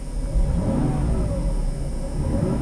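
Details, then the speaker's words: 1996 Mercedes-Benz S320 (W140) inline-six after replacing coils, spark plugs and plug wires to fix a misfire: a smooth, even idle rises into a clean rev with no stumble; the engine is running healthy. "oh yeah she's happy again watch that that's just there's that silky smooth inline six goodness"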